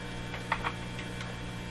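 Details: Eatons Universal Electrohome floorstanding tube radio during signal tracing, signal injected at the antenna: steady low buzzing mains hum with faint ticks and no station coming through; cause not yet found, a floated transformer suspected.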